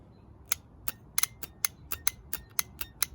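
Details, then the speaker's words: Lawn tractor 4-post starter solenoid on the bench, coil grounded to the case: sharp, crisp clicks at an uneven rate of about four per second as it pulls in and drops out; normal solenoid click. "So if I touch the case, you can hear it. The case is always, you can hear it, all right? It's grounded. So the coil itself is grounded to that case, all right?"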